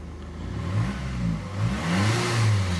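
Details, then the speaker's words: Hyundai Santa Fe diesel after repair of cylinder 3 misfire and smoke: revs rise and fall smoothly a couple of times, pitch climbing evenly with no misses or shake; turbo still to go to turbo service. "то що нас просили зробити ми зробили працює рівно"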